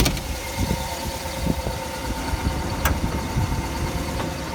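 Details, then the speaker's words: 1959 Ford Fairlane 500 Galaxie Skyliner with the hood open: a deep, even V8 idle with a light valve tick and handling knocks. The phone mic picks up valve-train noise more than in person; the engine runs smooth and well. "my phone does pick up small engine and valve train noise so goes get that a little bit more than you would in [Music] person the motor is definitely for blue like I said it runs pretty good"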